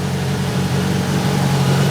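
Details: Grinnall Scorpion kit car, newly fitted radiator cooling fan running at idle, smoke drawn toward it in a flow test: smooth steady whir over even idle, no buzz, rattle or scrape from blades; fan running normally.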